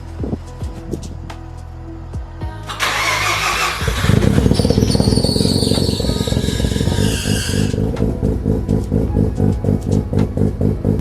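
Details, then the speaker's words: Bridgeport-ported Mazda RX7 FD RS, start-up recorded from the rear after a coolant refill: cranking catches into a loud, choppy idle with a high squeal over the first seconds that then fades. Owner suspects a loose belt needing tightening. "sounds like I have a belt to tighten up."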